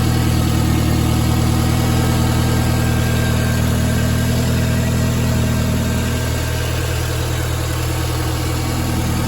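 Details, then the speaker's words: Nissan at idle, cold weather: faint thin whine over engine hum, normally louder; runs fine with no power loss, but owner suspects the couple-year-old remanufactured alternator is failing and replaces it. "Well, some days, most days, it's normally louder than that, but it's whining. It's got a decent whine to it."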